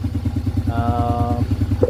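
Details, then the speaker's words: Yamaha Vega R single-cylinder after piston ring replacement to cure heavy white smoke, run before the exhaust is fitted: even, steady low thumping at idle with no rough knocks or rattles; engine running smooth. "Ah. Mesinnya sekarang sudah halus, tinggal menunggu sampai putaran idle-nya"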